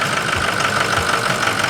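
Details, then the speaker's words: Ford 6.0 Power Stroke diesel just restarted after repair; lumpy, irregular knock with hiss and a little smoke as air remains in the high-pressure oil system, left to settle; rough idle from air in high-pressure oil. "got a little bit of smoke going to let this settle down it's got some air in the in the High Press oil system"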